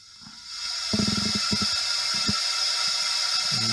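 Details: Honda ST1100 Pan European leak-down test through a modified NGK spark plug adapter: steady high air hiss with faint clicks, gauge dropping then stabilising; leak slightly louder than previous cylinder.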